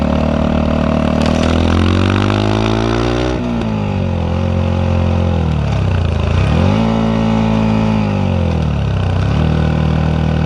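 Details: Yamaha WR 125X with an Arrow exhaust, blipping the throttle: a few sharp cracks and pops in the exhaust as the throttle shuts. Misfire or backfire suspected, unconfirmed.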